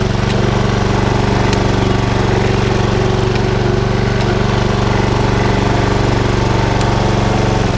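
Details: Honda HRX476 lawnmower, not started for about 6 weeks, plenty of fuel, being checked for a rota clutch that won't turn off: steady single-cylinder chug, even pace, no knocks or slipping; normal running.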